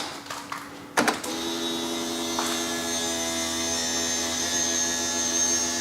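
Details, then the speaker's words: BMW 760Li V12 with a replacement boot lid hydraulic pump fitted: a click, then a steady, smooth electric whine at even pitch with no straining; boot now opens as it should; the original pump was faulty or a pre-LCI pump didn't suit the LCI tailgate. "For the time being though, I am absolutely over the moon that we've fixed our issue. The boot now opens like it should."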